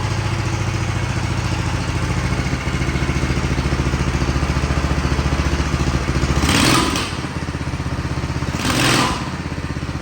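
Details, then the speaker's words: Big block mini bike with new exhaust, first start before test ride; regular single-cylinder idle thump with two brief scraping surges from the spinning chain overpowering the e-brake, not the engine. Normal idle. "Not bad. Not bad at all. It sounds good."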